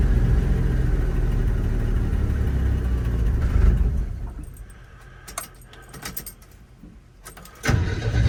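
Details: 1981 Chevy C10 cold start just after a spark plug change, with the foot on the gas; one old plug was wet with oil. It catches and runs rough for a few seconds, dies to silence, then re-fires near the end; hard cold start with stalling.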